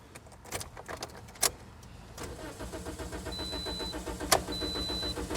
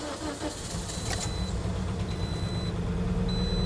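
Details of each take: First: 2010 Toyota Corolla 1.8L, codes B2797 and B2799: quiet steady starter cranking with regular pulses, never fires; immobilizer rejects the old key while a new key starts it. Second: 2010 Toyota Corolla 1.8 L with immobilizer codes B2797 and B2799, started with a new key: engine catches quickly and runs a smooth even idle with a warning chime over it, security light on; healthy start.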